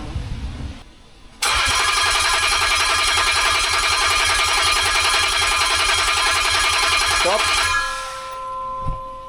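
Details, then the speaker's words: 2008 Land Rover Discovery 3 TDV6 under rebuild, fitted with a new AliExpress trigger wheel: steady, even cranking at about three and a half turns a second for six seconds that never fires, a crank but no start, the second no-start. "I cannot believe what we are doing at 6:00 in the morning after our second no start yesterday."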